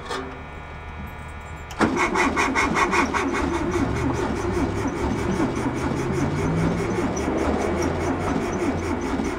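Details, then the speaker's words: VW bus (air-cooled flat-four) after 31 years in a field, cranking with weak spark and starting fluid: uneven chuffing beat of two to three per second with no firing; owner suspects a valve stuck open. "One of the valves is stuck open, I can hear it."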